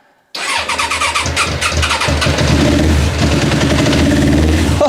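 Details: Suzuki GSXR parked about 10 years, carbs not yet removed, started with easy start spray and slight throttle: starter churns and the engine fires in stumbling, uneven bursts, nearly catching, then runs; hard starting.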